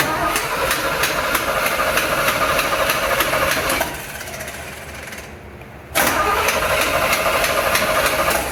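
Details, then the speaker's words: 1975 Chevrolet C10 with no transmission or driveshaft installed. The starter chugs the engine over at about three beats a second, pauses and cranks again without catching: cranks but no start. "So remember that we do not have the transmission in, and we also do not have the drive shaft, so we can't take it anywhere. We just want to crank it and hear it."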